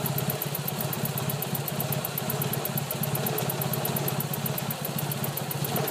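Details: 1989 Nissan Silvia CA18DET idling with a low, pulsing chuff; revs slowly climb, then it bogs below 500 rpm, sometimes stalls at stops and is slow to restart. Water pump also leaking; cause unknown.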